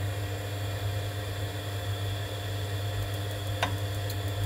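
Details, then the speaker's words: Vaillant boiler showing fault F28 changing to F54, gas pressure 23.80: steady fan hum with faint ignition spark ticks but no burner roar. Pressure does not move during ignition attempts, confirming the gas valve is not opening. "yep as you can see we can see it that it's trying to ignite but if you keep an eye on the pressure itself it's trying to ignite again press s is not moving which confirms that the gas valve is not opening"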